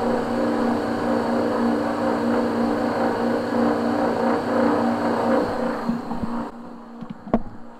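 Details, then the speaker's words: Vaillant 837 boiler forced to high fire: steady droning hum with rough rattling rumble, then dying away; a blocked main heat exchanger coil overheats and vibrates against the other coils (kettling). "so basically what you're hearing there is the coils vibrating where they're overheating within the boiler"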